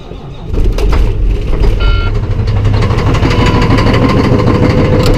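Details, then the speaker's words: Volvo truck diesel, cold start in snow at 8 degrees outside (oil temp 8), eight batteries for battery APU, gear reduction starter: brief crank then catches, rough-edged but steady idle; turned over better than expected, normal cold start. "that wasn't too bad at all i expected to be a little bit worse than that a little bit slower to turn over but considering that eight batteries on it got the job done"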